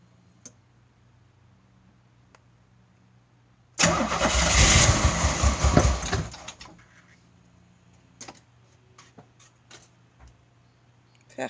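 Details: 1986 Pontiac Fiero 3.4 L with used original 2.8 L injectors refitted and a Holley 512-501 adjustable fuel pressure regulator; fuel pressure about 58 psi, firing order correct, all vacuum lines connected. The starter spins about 2.5 seconds without firing; crank, no start.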